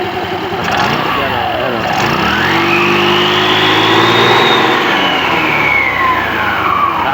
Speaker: O 'di ba? Ganda ng tunog.